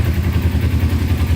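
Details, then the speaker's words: Cheap non-running Kawasaki Ninja sport bike after sitting, first start, oil level good, choke fully off: steady even low thrum with quick regular pulse, no knocks or misses; normal idle. "So everything officially works on it. Wow, that sounds really good. Choke is all the way off."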